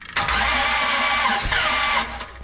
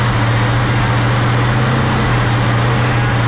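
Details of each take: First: 1967 Dodge Coronet 500 with a new Mopar big-block V8 cranks with a harsh, ragged cough, coughing out the carb, and won't catch. Compression on only one cylinder; suspected valves not closing fully. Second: 1967 Dodge Coronet 500 convertible with a new Mopar big-block V8, first successful run: deep, steady rumble with an even beat, no ticking or exhaust leak puffing. Runs nice and sounds healthy.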